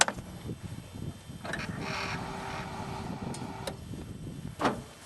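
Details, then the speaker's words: 1996–98 Chevy C/K pickup, key-on during fuel pressure test: quiet steady fuel pump whir for about two seconds, then a sharp click as the relay turns off. Normal prime, although the test later found low pressure and leakdown. "So, what you saw there, and I think you might have picked up this uh the click that you heard. It was just the relay turning back off."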